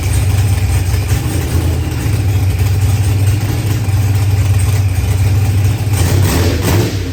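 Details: Procharged LS V8 with 12-1 crank trigger, running after start troubles were fixed; loud, steady low rumble with brief blip near the end; even, healthy idle.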